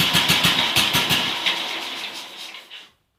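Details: BSA M20 single-cylinder, first startup after restoration, started perfectly: slow even thump about three beats a second settling smoothly; normal running.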